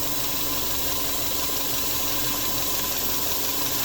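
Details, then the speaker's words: 2002 Subaru Forester Turbo EJ25, check engine light, P0171 running lean at idle; steady high hiss over an even idle that changes rpm when covered; vacuum leak from a broken, previously bodged hose at the front of the intake. "you can hear the rpm change you can even hit obviously hear that vacuum leak be shut up when i put that over there"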